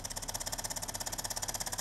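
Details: Used DeLonghi PrimaDonna Elite Exclusive coffee machine: fast even buzzing about fifteen beats a second with hard rattly edge; pump labouring against scaled, blocked heater path, water not passing.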